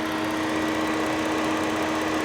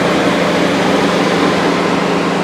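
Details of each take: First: Steady, even idle hum with constant cooling fan whoosh, no misses or knocks, on an auction car (Ford Taurus or F150, unconfirmed) with A/C compressor engaging; normal idle. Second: V6 at auction, 89,000 miles, max AC on: steady loud rushing whoosh over a smooth idle, sounding like a high idle but suspected to be the cooling fans running.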